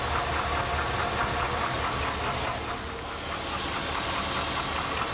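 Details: 2002 Chevy Avalanche 5.3L Vortec on 5W-30 oil, rarely driven: steady quick tapping at idle, about two per second, getting louder as the engine warms and worsening over time; owner unsure whether lifter tick or rod knock.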